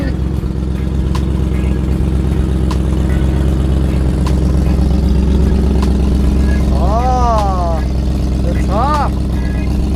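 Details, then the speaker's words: 2003 Mercedes-Benz SL55 AMG V8 with brand new engine and race headers, hot start: deep, even, steady idle burble with no knocks or misses; normal hot idle. "all right guys we've got it all clean here's a cold start well not really cold start hot start with the blast bites underneath"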